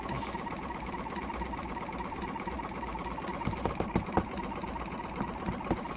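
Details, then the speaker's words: Jumper box air compressor with a bad internal battery, motor previously seized and still tight; rapid uneven chattering, labouring surges like a car misfiring; owner hopes running it will free the motor. "it almost sounds like a car misfiring it definitely sounds like that motor is a bit tight"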